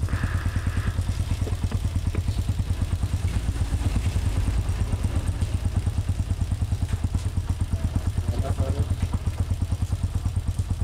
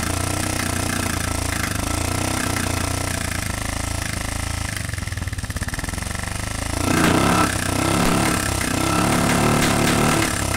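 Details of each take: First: Honda TMX125 single after a stator fix, valve replacement, cylinder cleaning and a new genuine pushrod: even, steady thump at idle with no popping or backfires; it runs clean and healthy. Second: Honda TMX125 single-cylinder: runs rough and clattery with an uneven beat that roughens after a blip; worn, thinned intake valve causing backfire and noisy running.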